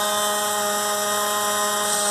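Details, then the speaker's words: Tap closed very slowly makes a steady buzzing drone with a clear fixed pitch, from a loose rubber washer on the stem chattering; owner says the noise stopped after the repair. "vou fechando ela bem devagarinho vocês vão ver que ela vai começar a fazer esse barulho"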